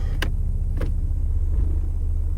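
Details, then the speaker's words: Harsh engagement into reverse, foot on brake: two sharp clunks over a low idle rumble on an old Mazda; transmission still spinning and not locking while trying to grab park. "That was kind of a rough donk. It sounded like it was like, Don, don, don, don, don."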